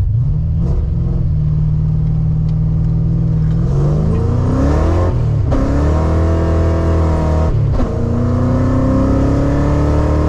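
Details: Tuned 331 stroker V8 in a GT, driven after a failed brand-new part left it dead; revs rise and settle repeatedly, pitch climbing and falling cleanly with throttle, no misfire or stumble.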